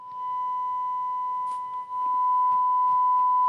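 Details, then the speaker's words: Rotel RA-985BX integrated stereo amplifier on a 1 kHz test tone: tone dips and wobbles briefly as the left channel cuts out, caused by the balance potentiometer; a light tap clears it. "Kolejna rzecz to potencjometr balansu czasami powoduje przerwy w jednym z kanałów i delikatne uderzenie eliminuje usterkę"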